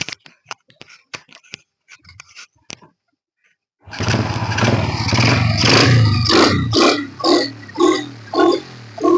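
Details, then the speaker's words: Honda Supra Fit New motorcycle after tightening the loose front exhaust bolts: wrench clicks, then clean revs on quick throttle blips with no puffing at the exhaust joint; the joint is sealed and no gasket replacement is needed. "udah kan rapat enggak perlu kita ganti perp"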